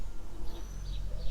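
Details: Toyota Corolla 150 door check strap with worn rollers, after greasing with Litol-24: near silence, then one sharp clunk as the door swings through its stop; clicking persists, guides may need replacement.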